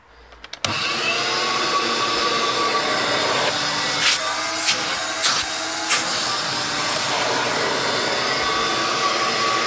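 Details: Electrolux 612E upright vacuum, fitted with a new brushroll and run outside; motor bursts on and settles into a steady, even high-pitched roar with no rattles or surging. Normal vacuum motor running.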